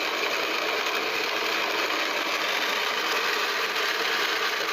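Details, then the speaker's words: Pump cavitation shown in an acrylic tube: steady gravelly crackle like rocks rattling through the pump, caused by too-low suction pressure flashing water to vapor, with bubbles collapsing as pressure rises. "sounds like rocks literally like rocks going to the bike and again we cause it by dropping too low over pressure causing flashes to occur"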